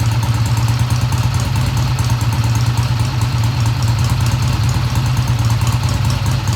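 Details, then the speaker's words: 1971 Triumph T120 twin, first start after valve adjustment, no tach fitted: idle ran fast at first then dropped; steady, even low burble with no knocks or misses, smooth idle; sounds healthy. "Sounds good to me. I don't have the tach hooked up, I'll do that. The idle sounded fast at first, but then it kicked down."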